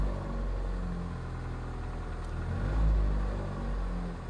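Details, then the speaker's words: 2021 Mazda MX-5, 6,660 miles, fresh 0W-20 oil, warming up at idle: deep, loud idle rumble swelling unevenly, throatier than stock; exhaust sounds modified, not confirmed. "and that doesn't sound like a normal MX-5 engine it just it's too [Music] listen to the exhaust wow yeah there's that's that has been altered"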